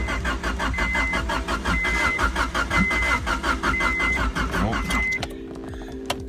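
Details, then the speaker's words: 1990 Honda Civic wagon Real Time AWD that cut out on the highway and backfired, then sat a couple days: the starter cranks steadily with a few pops but it never starts. Fuel pump primes. "now it just kind of sits and turns over and makes some popping noises it's been sitting here for a couple days see if it sounds any different"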